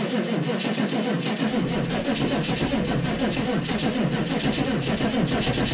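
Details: 6.5 turbo diesel cold start at -15°F: a heavy, uneven chugging crank that never catches or speeds up, so the engine won't start. The batteries are drained, and the owner believes only one was working because the other had a poor connection.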